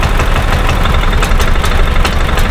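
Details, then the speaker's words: 2000 Club Car DS gas golf cart, which shuts off after 10 minutes: stumbling, lumpy idle with sharp irregular pops backfiring into the carburetor and unburned fuel smell. It runs almost smooth at minimal throttle, and the rev limiter was bypassed with no change. "So I can smell unburned fuel coming out the exhaust. It's backfiring into the back to the carburetor."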